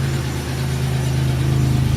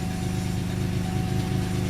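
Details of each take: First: Cold idle with a faint rapid ticking knock on a 2002 Chevy Malibu 3100 SFI V6, which had intermittent shutdowns traced to oil in the crank sensor plug. Owner attributes the knock to loose cylinders and says it rattles until warm; cause unconfirmed. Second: 2002 Chevy Malibu 3100 SFI starts after crank sensor replacement (oil in sensor plug grounded it, causing shutdowns), settling into a steady even idle, slightly noisy with cold loose-cylinder knock until warm; normal idle.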